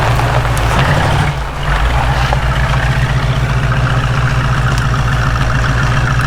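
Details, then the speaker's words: 1967 Ford Mustang after carb reassembly; brief stumble then steady even beat as fast idle settles, no misfire; possible vacuum leak suspected at the carb; normal idle. "See, now it's idling down. Oh, it sounds great. It really sounds good."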